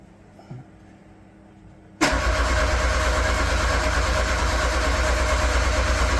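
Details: Metro GTI race car on new standalone engine management, speed density, running off a small race battery: a click, then slow even starter churn about three turns a second without catching; slow cranking from a weakening battery.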